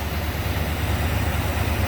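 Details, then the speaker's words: 1984 Jeep Grand Wagoneer with newly rebuilt AMC 360 V8, new water pump, fuel pump, distributor, plugs, wires and exhaust manifolds, 187,000 miles: quiet, smooth idle with steady low burble and no ticks or knocks; engine healthy. "See, like I say, it's got 187,000 miles on it. See how quiet and smooth it is? Everything on this engine is new."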